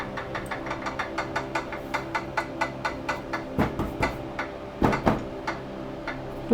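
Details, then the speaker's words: Schwinn 470 (Journey 4.5) elliptical, after 4.5 years without maintenance: sharp, even tick about four times a second in time with the pedalled flywheel, from inside the housing; sounds like a zip tie hitting the flywheel, cause unconfirmed. "ing for 4 and 1/2 years but last night it started to make a clicking sound kind of sounded like if you have a zip tie that's hitting a flywheel or something so every time it's coming around it's going tick tick tick tick tick tick"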